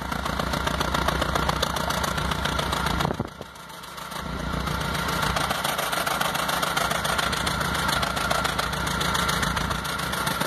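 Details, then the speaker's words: 2006 Stratus 2.0 petrol idling, heard at the exhaust: uneven, stumbling beat and shaking, lacking power; tune-up and injectors already done, so ignition wires or coil are suspected. "vamos al escape entonces ahora sí que ahí se escucha verdad bien fácil normalmente es ustedes saben los móviles deben de escucharse parejos"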